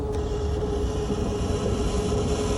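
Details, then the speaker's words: AC condensate drain line after about 20 minutes of vacuuming and roughly 3 gallons of water poured through to loosen gunk. Even, unbroken vacuum roar with a steady mid tone, no gurgling or choking; drain clear and pulling freely. "Okay, so after about 3 gallons of water, uh sucking it for about probably 20 minutes, just pouring water, pouring water, just loosening up the drain."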